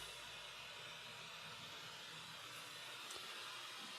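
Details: Bang & Olufsen BeoCenter 5000 during a tone board test, pin 13 shorted to ground to select AM, no antenna connected: a flat, steady hiss with no station or tone in it; the AM section works but picks up only static.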